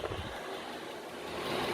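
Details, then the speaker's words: 8 kW 12 V Chinese diesel air heater in a workshop, running normally and blowing genuinely hot air after the low power supply was sorted: soft steady airy fan rush, no knocks or surging. "but you know what the amount of air that's coming out of here i could see how this would heat up this workshop in no time"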